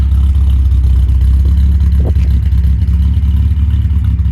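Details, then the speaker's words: MG MGC GT, fully restored: steady, even low idle rumble with no knocks or misses; ticks over nicely and healthily. "can also hear that the car ticks over nicely, performs really well."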